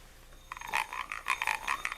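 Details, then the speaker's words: Fishing reel with a working anti-reverse, handle wound backward: rapid raspy croaking bursts, six or seven a second. It winds smoothly forward; the reverse croak is the only known fault and may not be fixable. "hear that that's what happens when you wind it in reverse forward it sounds fine that sounds horrible"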